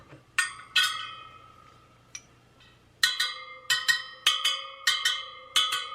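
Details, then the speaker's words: Sur Ron Light Bee supermoto front wheel build, spokes plucked on a stand to check tension by ear: bright, clear pings at one even pitch spoke to spoke; evenly tensioned spokes. "you want it to have a like kind of higher pitchers higher pitch sound you you want all the sound the same basically"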